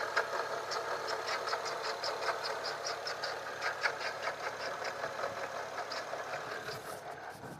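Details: BMW 135i at a quiet, even idle: light metallic ticking about two to three times a second rides over it. Rattle noise, source unclear.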